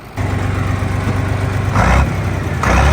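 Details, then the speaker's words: 1967 John Deere 4020 Standard diesel tractor, cab removed, driven on the road at about 24 degrees outside. A deep steady rumble with a thin turbo whistle over it as it pulls; the whistle is normal and was inaudible inside the cab. "you can hear the whistle now. Yay. You couldn't hear it inside the cab at all."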